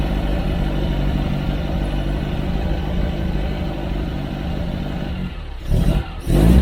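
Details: VW Bug race car flat-four at idle just after strip-down check-up and reinstall with exhaust refitted, twin carbs not yet balanced: steady, low, even chugging with no ticking or puffing; no exhaust leaks, clean-running.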